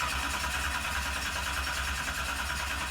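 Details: 711 cubic inch Sonny Leonard twin-turbo Hemi in a 19-foot Placecraft jet boat, first start attempt: steady fast cranking churn that never catches; won't fire because the fuel system wouldn't prime and the cam sensor wasn't working (later fixed).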